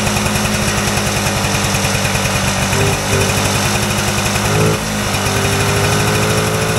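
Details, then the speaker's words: Vintage Polaris Colt single-cylinder two-stroke race sled after tune-up: crisp, fast even popping with steady revs and no stumbles; sounds much better than a week earlier, running clean and healthy. "that sounds so much better than it did a week [Music] ago"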